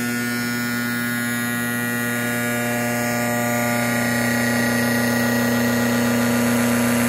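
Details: Sparx sharpener motor: steady, loud buzzing hum holding one pitch with a rough edge; runs abnormally noisy, cause not obvious.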